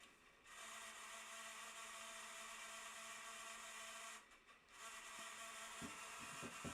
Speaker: it's making a really weird noise idea why it's making that noise don't normally make it